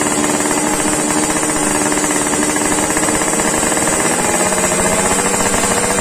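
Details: Yamaha RX King two-stroke, warmed up after daily carburetor tuning, exhaust sound test: a loud, crisp, rapid crackle held at high revs with an even, clean note. The engine sounds healthy and well tuned.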